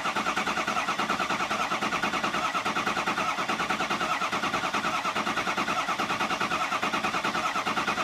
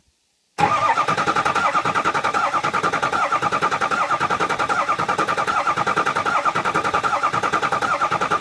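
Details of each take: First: 6.0 Powerstroke diesel after EGR cooler and oil cooler install, repeated priming cranks: even, steady cranking beat around seventy per minute, the tone settling as base oil pressure comes up, now cranking normally. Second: 6.0 Powerstroke diesel after EGR cooler and Ford oil cooler install, cranking to prime: steady starter cranking with fast even chatter and thin ringing tone, no firing yet, because there is no oil pressure; the noise fades as pressure builds.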